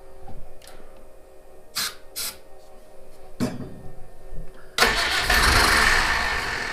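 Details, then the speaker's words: Citroen HY van no-start: dry cranking with scattered clicks despite confirmed spark, then catches at once and runs strong on starting fluid; no fuel reaching engine, possibly out of fuel. "yeah it's definitely lighting so we're definitely getting spark just no fuel so I'll take this off squirt a little go fast juice we'll see she works well alrighty let's give this a whirl"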